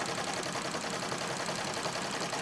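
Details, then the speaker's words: Singer 66 treadle sewing machine during free-motion quilting: fast, steady clatter with a rough growl underneath; owner says it's time to clean lint from the feed dog and bobbin case areas under the cover plate and oil it. "I'm starting to fear growling and that's telling me that it's time to"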